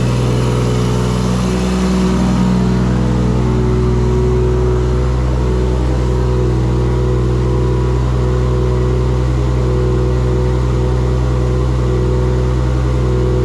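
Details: Engine's first start in a shop build using an LS alternator kit; strong, deep, even exhaust note rising cleanly when revved, no misses or knocks. Earlier firing faults (gas pedal, swapped crank sensor signal) fixed; charging voltage runs too high. Normal running and revving.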